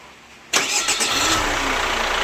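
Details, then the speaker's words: Chevrolet Captiva FL diesel, revived after sitting 6 years, after the starter motor was serviced, exhaust now fitted: a short clean crank, then it catches straight away and settles into a steady idle, a normal start. "Coba starter Sun, on kontak Sun. Knalpot udah kita pasang, roda udah. Oke Sun, start Sun."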